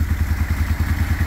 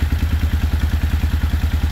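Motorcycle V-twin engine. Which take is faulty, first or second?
first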